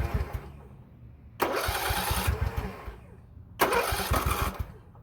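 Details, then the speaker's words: Poulan Pro 18.5 HP lawn tractor that quit in use, oil barely on dipstick, spark present: two quick cranking bursts, no firing, hollow puffing at muffler; suspected open exhaust valve, no compression; fixed with a push rod and oil change. "I'm hearing a lot of noise coming from that muffler. We might have a open exhaust valve. Yeah, sounds like the pressure is just going straight through on the exhaust."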